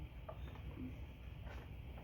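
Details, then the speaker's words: Johnson short-shaft outboard first start after repairs, idling: low steady idle with a soft rising intake 'whoop' roughly every half second, which owner takes as engine drawing vacuum, a sign of healthy idle. "You hear that noise? Whoop, whoop. Now we're going to hear it again, but lower."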